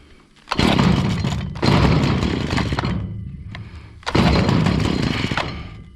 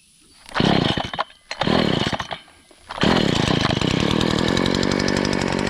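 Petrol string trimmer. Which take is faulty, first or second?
first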